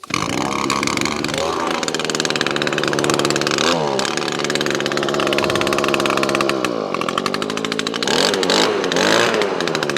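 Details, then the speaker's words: Owner's own two-stroke blower with new carburetor, stored since last year on Aspen fuel, primed and choked: fires at once and revs to a crisp buzzy howl, running cleanly through throttle changes; survived winter with no issues. "so this hasn't been started since um last year and we're now April so it's priming and it's got Aspen in here it files straight away"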